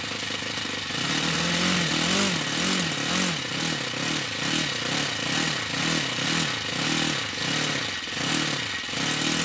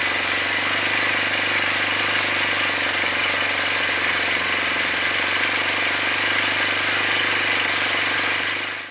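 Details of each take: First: OS FS-60 four-stroke model aeroplane engine, part-filled tank, running after new crankshaft main bearings fitted: revs blip up and down quickly, then hold a steady, clean higher speed; normal running. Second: OS FS-60 four-stroke model aeroplane engine at steady high speed before its crankshaft main bearings were replaced in the aluminium housing: a harsh, gritty rattle from worn main bearings.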